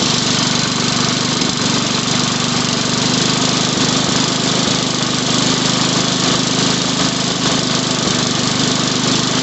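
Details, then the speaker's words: Sears Suburban 12 hp Craftsman tractor after carburetor work: a steady, slightly ragged drone with a faint uneven patter; running lean, so the mixture screw on the carburetor bottom needs turning counterclockwise to richen it. "It just needs to be enriched a little bit more counterclockwise."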